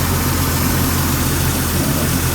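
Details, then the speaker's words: 1999 Jeep Cherokee XJ 4.0 inline-six at normal operating temperature, idling around 725 rpm after new Champion Copper Plus plugs, cap, rotor and wires at 60,000 miles: low, smooth, even idle, steady beat, no stumble or tapping; normal idle. "Okay, idling now, normal operating temperature here. Idling, it's like around the 725 range, I guess. Lower, sounds good."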